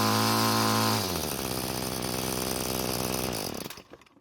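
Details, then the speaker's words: Free curbside Bolens two-stroke string trimmer that wouldn't start, carb fuel screw being turned counterclockwise after clockwise killed it: high buzz drops sharply, runs rough and lower, then sputters and dies; fastest setting never found, low top speed. "so what i did was i turned the screw counterclockwise to find when the engine was running the fastest but i was never able to find it"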